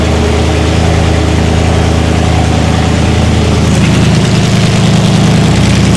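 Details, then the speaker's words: First start of a race-car V8 after fuel pressure and leak checks: deep, steady idle, even low rumble, no stumble or knock, no limp mode; clean, settled normal idle. "She's responsive. It sounds nuts here. It sounds nuts. Oh, it's just idling perfect."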